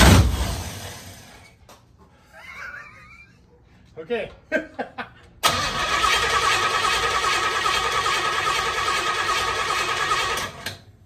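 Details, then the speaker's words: 1968 Pontiac Firebird being revived, timing still being adjusted. A few short uneven cranking bursts then a long steady churn that never catches; crank no start, owner suspects flooded. "got nothing fiddle sticks I bet I flooded it so I flooded it"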